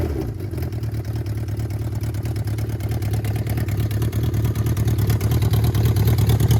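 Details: 1979 Yamaha XS1100 bobber four-cylinder with shorty two-into-one exhaust per side, first start after build: fires up and settles into a quick, even exhaust patter, picking up with throttle blips; healthy, no knocks.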